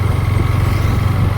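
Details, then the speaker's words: Yamaha MT-15 after mechanic's rocker (valve clearance) adjustment to cure ticking: even, steady thumping idle with no valve ticking; sounds healthy. "पहले से ठीक लग रहा है। Sound तो अभी ठीक लग रहा है।"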